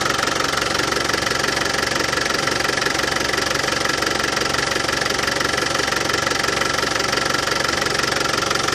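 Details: Land Rover Defender 200Tdi diesel at warm idle after new power steering pump fitted, while bleeding steering box: even steady clatter, no rattle; new pump cured it.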